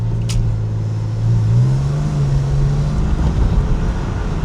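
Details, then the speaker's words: 1999 Porsche 996 911 after repair and clearing check engine codes, driven at about half throttle; smooth even note climbing cleanly, no misfire or stumble, codes have not returned. "As you can see, Reuben was really happy with how everything was running and driving at this point."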